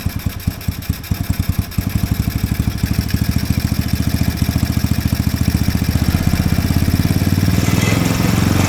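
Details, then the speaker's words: Small Chinese engine in a mini Jeep idles with a steady thump, then revs creep up and down on their own, surging even after slight idle-screw adjustment; the carb slide is suspected sticking, with gummed slide and ports given the dirty air filter. "well that carb is going throttling up throttling down even when I just made a slight adjustment to that I do believe possibly that slide is getting stuck"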